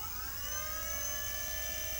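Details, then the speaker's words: Volvo electric power steering pump, used for about 1.5 years in an electric Jag, after a repair and reinstallation. Quiet, steady electric whir with a smooth high hum, no grinding; far quieter than before, normal pump operation. "i can tell you that the noise level is so much lower than ever before since i remember installing that pump about a year or so ago uh so it's actually not that bad"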